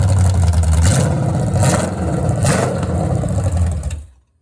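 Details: Restored 1970 Pontiac GTO 400 V8 (YS code) on test stand during cam break-in, Summit 2801 flat tappet cam, Quadrajet carb: even burble at raised rpm with light blips, then shut-off; healthy, no knocks or ticks.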